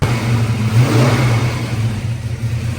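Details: Engine just after fuel pump replacement, fuel pressure 38 and no leaks: picks up cleanly on a quick blip and drops back smoothly, no stumble, hesitation or odd noise; running healthy.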